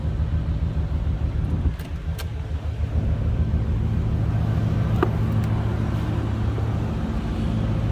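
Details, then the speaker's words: 1990 Chevrolet Corvette coupe V8 with aftermarket exhaust tips, heard from the rear at idle: deep, steady rumble, even with no misses, ticks or exhaust blowing; not loud; healthy idle. "No crazy exhaust, anything loud over the top. Nice little rumble. This one sounds good going down the road."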